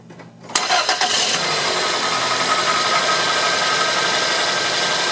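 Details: Toyota Corolla after a spark plug change: the engine catches after a brief crank and settles straight into a steady, even idle with no misses or knocks. There was little vibration difference from before the change.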